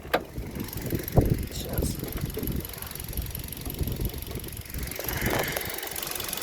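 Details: Kia Rio with a cold engine idling at about 900 rpm, bonnet open: an uneven, clattery low knocking, louder than normal, owner says noisier cold due to clearances. It is gone above 2000 rpm and its exact source is unclear.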